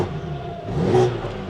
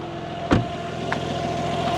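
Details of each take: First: BMW G80 M3 with new engine, VRSF downpipes and stock exhaust with its valves unplugged: short rev rises and falls smoothly, fairly muted with a thin rasp on top; quiet but raspy stock exhaust. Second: Rebuilt BMW G80 M3, first start of a new engine with new clutch and downpipes: steady, even idle with a light direct-injection injector tick over a smooth low rumble, no leaks; engine sounds healthy and normal.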